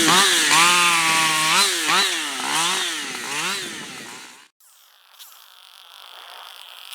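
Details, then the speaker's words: Freshly built Husqvarna 555 HTSS work saw, newly tuned, not yet broken in, cutting small wood. High buzzing note dips and recovers as it bites into wood, pulling strongly under load; revs higher than a stock 555 with good torque. "It definitely picked up RPMs after that tune. It definitely runs at a higher RPM than a 555 if you let it. Now, having said that, it's definitely a torquer, you know, for that size saw."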